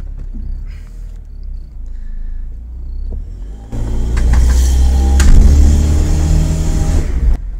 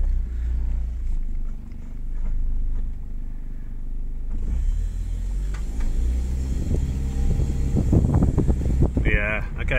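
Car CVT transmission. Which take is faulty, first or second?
first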